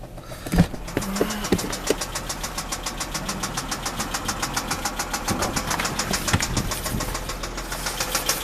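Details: 2007 Dodge Charger 3.5 V6; sharp, even ticking about eight times a second over the running engine, a top-end knock of unidentified source, and transmission runs as if low on fluid.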